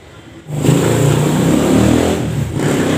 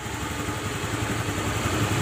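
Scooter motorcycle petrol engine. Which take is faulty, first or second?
first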